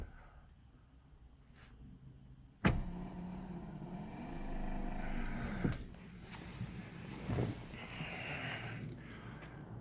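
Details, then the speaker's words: Restored 1989 Jeep Grand Wagoneer, passenger-side power windows being operated: a thump, then a smooth motor hum that rises and settles with no grinding or catching. The windows work. "we can see the rear window how it works from the inside works just perfect"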